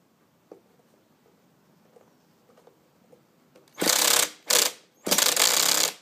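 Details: Hobbyking 1/5 scale nitro bike that won't start, after stripping the clutch and reconnecting the spring ends: quiet clicking, then short starter whirrs that bind abruptly; the clutch/drivetrain still locks up even at slow start rotation.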